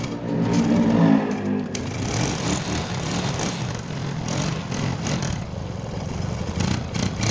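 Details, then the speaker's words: Motorcycle first start after repairing a stripped spark plug thread in the cylinder head: irregular crackling pops over a rough idle, an exhaust leak caused by a loose exhaust clamp whose bolt had been left untightened. "Ya, itu tadi suaranya cukup mengagetkan, ya, agak kemletek sedikit. Ternyata setelah kita cek itu di bagian klem knalpotnya itu kendor, ya, jadi bautnya ini enggak dikencangkan sama orangnya."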